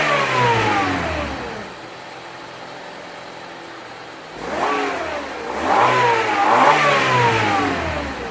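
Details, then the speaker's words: 2000 Honda Civic LX, 1.6L SOHC D-series I4 without VTEC, 4-speed automatic, original engine, about 114,000 miles, free-revving: climbs smoothly and drops back cleanly twice, no knocks or ticks; sounds healthy. "That was my engine on my 2000 Honda Civic. It still sounds quite remarkable for such an old car."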